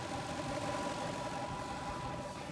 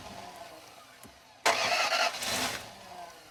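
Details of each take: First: Toyota Land Cruiser bought as a non-runner (no compression reported, died while driving), now running after roadside fixes: steady, even idle with smooth low rumble, no knocks or misses, under some cabin noise; engine sounds healthy. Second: Toyota Land Cruiser being repaired roadside, timing belt work done, with the air intake, mass air flow sensor and throttle body unplugged: two short cranking bursts that sound like it is really trying but never catch; crank no start because the sensors are unplugged.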